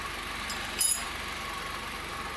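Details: 2014/15 Honda Civic LXR 2.0 16V, cold engine at idle: faint steady low ticking knock at engine speed from accessory belt hydraulic tensioner that lost pressure; noise stops when tensioner is forced with a wrench.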